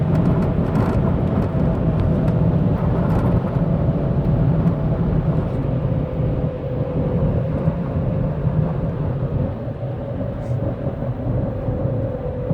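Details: 2007 Saturn Vue while driving: steady fixed-pitch howl or whir from the rear differential under road rumble; owner suspects bad differential fluid, not confirmed.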